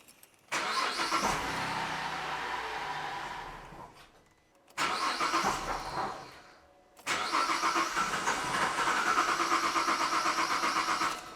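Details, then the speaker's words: Holden VZ Commodore with intermittent miss, fuel pump relay pulled for a relative compression test; three cranking bursts with a harsh metallic ring over slow turnover; faulty starter motor and ringing ring gear. "that starter motor sounds pretty crook as well and you can hear the ring gears got a real ring attached to it so there's some extra work that needs to be done on this"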